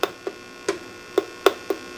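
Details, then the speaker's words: 12AX7 preamp tube tested in a D-Lab Micronaut II microphonic analyzer with audio monitoring; sharp irregular pops and clicks, two or three a second, over a quiet background; microphonic tube with loose internal elements. "Let me see. She's got some loose elements in there."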